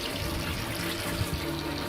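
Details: Newly installed replacement well/borehole pump, fitted after the old one hummed but would not pump: a steady rush of flowing water over a low, even hum; the pump is delivering water normally.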